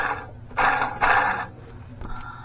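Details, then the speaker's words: 2010 Ford F-150 4.6L, engine off during intake manifold and water pump job: belt tensioner pulley spun by hand gives rough gritty whirring instead of a smooth spin; tensioner bearing worn, idler pulley also bad. "I got to look in at the belt tensioner right here doesn't that sound pretty"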